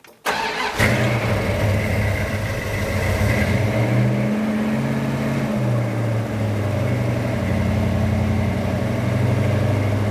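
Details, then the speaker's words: 1972 Dodge Dart Swinger V8 with Comp XE268 cam and Flowmaster 40 exhaust dumped before the axle, on fast idle warming up: steady, even fast idle with a smooth lope and no knocks or misses; running healthy. "Fast idle's on right now. Let it warm up for a second. Idle smooth."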